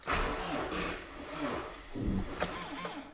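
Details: Toyota Camry that won't start, with warning messages shown: the starter gives a few short, sluggish groans that barely turn the engine over, then stops. Slow cranking with no start.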